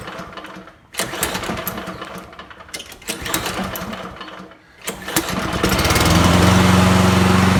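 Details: Free Poulan 22-inch self-propelled mower, Kohler 149cc 6.75, previously run without air filter: a few uneven bursts on starting, then steady even roar with no misses; runs fine.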